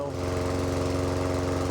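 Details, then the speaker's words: Lawn mower engine started after three primer pushes on the first pulls of the season, with brand new oil and new petrol. Steady, even single-cylinder beat with no knocks or misses: normal running. "First pool of the season. Not bad going."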